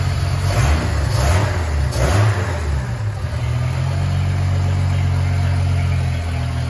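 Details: Ford 300 inline six with newly finished turbo header, first fire-up, exhaust cutouts open: three quick blips of deep exhaust roar, then a smooth steady idle with no misses or rattles; normal exhaust note when revving.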